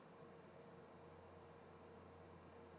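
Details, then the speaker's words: Prusa CORE One enclosed CoreXY 3D printer, fans at 20 °C ambient with bed still hot after print: low steady hum and soft even hiss, no ticks or rattles; very quiet, normal. "it's a slight hum but it's really not that bad it's it is very that's very quiet very very quiet"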